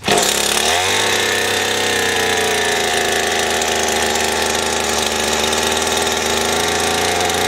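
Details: Stihl FS 80 R two-stroke trimmer, after fuel line, primer bulb and ignition coil repair, starts and settles into a steady, even buzz with no misses or sputter; old gas had been in it; running normally.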